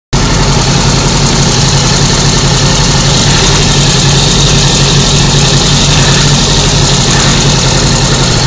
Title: rattle noise